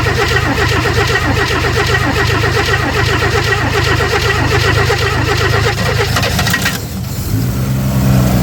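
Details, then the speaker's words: 1964 Chevy II Nova, sitting about a year, first start after pumping the gas: the six-cylinder blips and settles into an even, steady, smooth idle with no knocks or misses; normal idle. "There she goes. Yeah, buddy. Well, that was easy. can't believe how good it runs. It's super smooth."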